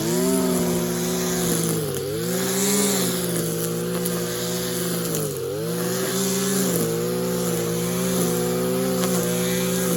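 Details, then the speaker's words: Stihl KM94 RC combi powerhead with the strimmer attachment, after a rebuild with new bearings, seals and a carb overhaul: a buzzy note holds steady at high revs and recovers cleanly after throttle blips. Normal running. "so yeah you saw it in action i've just gotta finish it off and hope i'll do that a bit but i didn't think he wanted to see too much to him in but um yeah it's right it's running well"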